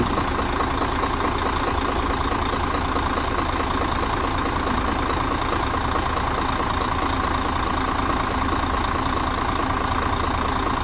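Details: Mercedes Axor OM457 diesel after full rebuild for foreign knocks, first start following new filters and fuel bleeding: smooth steady idle with even clatter and no knock; running healthy.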